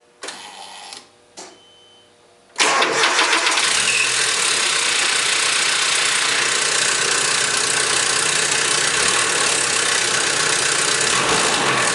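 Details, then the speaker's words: Nissan KA24E, 1989–1997: the cold engine cranks briefly and catches, then idles under a loud, steady metallic startup rattle. Traced to timing chain slack. "rotate it in this direction and there's there's the startup rattle right there that's where it's coming from"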